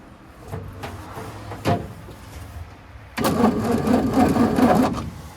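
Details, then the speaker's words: 1942 Ford 200ci after 20+ years idle, cranked on the key once out of gear, with a remanufactured non-stock carburetor: starter spins the engine at an even, quick rhythm with no binding; turns over freely but doesn't catch. "So she turns over, which is a good thing."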